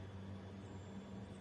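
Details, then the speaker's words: Star X 98 Super satellite receiver that switches off and sometimes whistles: plugged in before opening, its power supply gives a steady buzz with faint high whistle and won't start; inside found dirty, liquid-spilled, rusted tuner. "دوستان نگاه کنید الان تسکو توی برق قبل از اینکه بازش بکنیم یه صدایی میده اگه بشنوید یه صدای خیلی ویزویزی میده و دستگاه روشن نمیشه"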